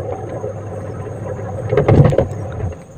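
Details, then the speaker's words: Repaired washing machine that was dead or intermittent, spin-dryer now turning: steady low motor hum with brief louder scuffing surge under load, pulling strongly; normal running. "Untuk pengeringnya juga udah muter nih, udah sehat kembali. Kedengaran ya ada suara gemuruhnya."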